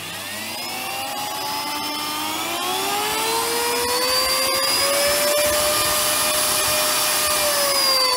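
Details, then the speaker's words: Miele S7260 vacuum cleaner motor after new bearings fitted: high steady whine with rough, raspy edge; only slightly better, sounds awful and runs hot despite a clean fan, due to worn carbon brushes. "a little bit better but the carbons about this doesn't help despite the fad being clean it sounds awful and runs hot but it does run"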